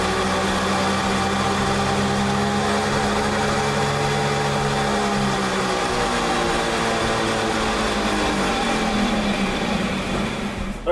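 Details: BMW E90 328xi, left rear wheel bearing; axle nut rusted solid from water trapped behind the center cap, so hub and output shaft need replacing. Steady droning hum whose pitch slowly drops as the wheel coasts down on the lift: worn rear wheel bearing.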